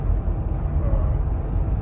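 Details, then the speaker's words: 2020 Toyota Sienna, 42K miles, on a full tank after EVAP canister purge solenoid valve replacement that fixed no-start after refueling; deep, steady idle with even rumble, no stumbles, misses or surging, no check engine light; normal idle. "all right there you have it full tank of gas and no check engine light no stalling no issues whatsoever when it comes to acceleration"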